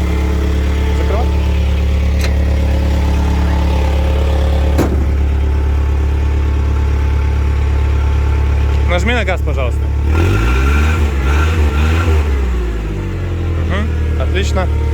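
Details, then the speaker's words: Komatsu FG30 3-ton forklift with automatic transmission, started and listened to: deep steady idle rising smoothly when blipped and settling back without misses; engine runs evenly and well. "давайте запускать и слушать как работает работает ровно хорошо"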